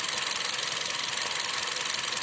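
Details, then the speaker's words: 2014 Kia Rio with two-pin individual coils, idling while each coil is unplugged in turn: a steady uneven pulsing beat. One cylinder misfires; whether from coil, spark, injection or compression is not yet determined. "notamos que el motor sigue igual y la marcha sigue constante fallando pero constante lo sacamos y lo mismo entonces ya podemos intuir que el problema está en este en este cilindro"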